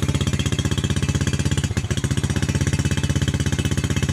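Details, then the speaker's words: New Jupiter Z motorcycle single, wasting fuel, weak power, spark plug often fouling, delayed starter; owner's bike stutters ("brebet") on light throttle with bad-smelling exhaust, low uneven thumping beat with stumbles: rough running misfire, ongoing about a week. "Nah kalau kasih sedikit kayak gini nah itu dia merebet helm operasikan suara anak kota ya"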